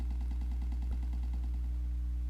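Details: Older GoPro with Wi-Fi or Bluetooth on: fast evenly spaced pops, about ten a second, over a low steady hum in the recorded audio; wireless interference, removed in editing software.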